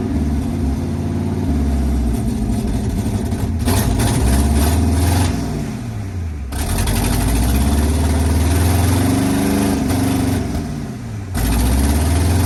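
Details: Abandoned 1980 International Scout II, engine previously seized, now running and still burning off crud; idles steadily and revs rise and fall cleanly with no knocks or misses, though it needs a carburetor.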